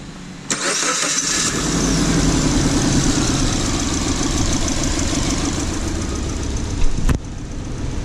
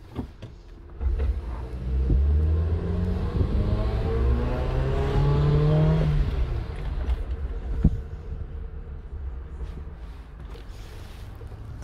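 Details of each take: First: 2009 Suzuki Jimny after catalytic converter replacement for blocked exhaust causing low power and rich idle, post-repair check: cranks, catches and settles into steady even idle, no misses, knocks or rattles. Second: 2009 Suzuki Jimny, warm O2 sensor, wide-open-throttle run down driveway: engine climbs slowly and strains then falls away; mixture goes rich, not fuel delivery—blocked exhaust causing low power, confirmed by thermal imager and in-cylinder pressure transducer.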